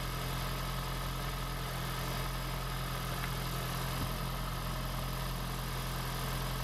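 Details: 2016 (4th-gen) Prius engine just swapped into a 2012 Prius V, freshly started in maintenance mode, car on jack stands, coolant air still to bleed; steady low hum, even unbroken idle, no knocks or misses.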